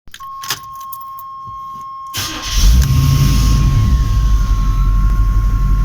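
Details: 350 TBI engine: key-on chime, then a steady starter churn at roughly four turns per second that never catches; cranks but won't start.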